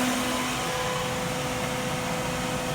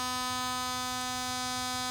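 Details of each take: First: Radiator cooling fan powered temporarily from a car battery through a solid-state relay, with PWM control from an MS3Pro/Megasquirt ECU. At high duty cycle there is a steady, even whoosh with a constant hum rising slightly, showing smooth full-speed operation. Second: Radiator fan on a solid-state relay, PWM-driven by an MS3/Megasquirt ECU at 10% duty and the highest frequency, powered from a car battery: a strident buzzing whine with no spin-up. The motor is too weak to turn the fan.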